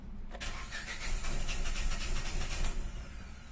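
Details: 2015 Hyundai Grand i10 automatic: starter spins the engine steadily at about four turns a second for two seconds but it never catches; check engine light on, no fuel pump hum heard at key-on, suspected no fuel delivery.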